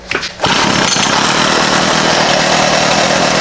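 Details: GHT 225 trimmer just reassembled after teardown, throttle cable reconnected, fueled: a couple of short pulls, then catches and holds a steady high even buzz with no stumbling or surging; normal running.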